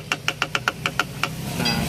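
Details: Mazda2 driven over rough roads: quick sharp knocks about seven a second from the rear suspension, whose torn rubber bump stop came loose and leaves nothing cushioning it.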